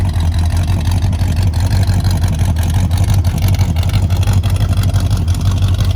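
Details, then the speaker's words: Dad's big-block Ford F150 "Old Red", second day of diagnosis: deep V8 rumble with a sharp tick about three times a second over an uneven idle; owner suspects one gummed-up, sluggish lifter, maybe collapsed, planning oil change with additive. "Sounds like she might be in the car. She's not happy with it at all. Not happy."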